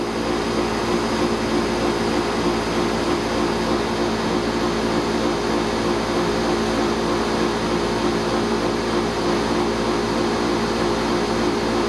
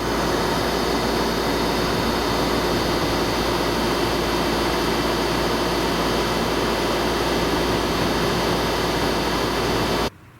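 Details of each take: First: Pentair 140 pool heat pump after fitting Brinmar compressor sound blanket sealed with duct tape: constant compressor drone with fan rush, steady, no rattles; normal running, a little quieter. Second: Pentair 140 pool heat pump before soundproofing, running: loud, steady droning hum with constant whirr, no rhythm; very loud running, owner says noise can come from the fan motor or the compressor.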